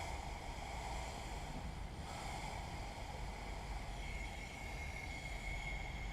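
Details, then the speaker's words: Cummins ISM fan clutch from International truck, on the bench with shop air applied to the casing relief port, which should hold back pressure: steady hiss of escaping air with faint whistle; fan clutch air leak. "and see i've got pressure on it and there's air blowing out of it"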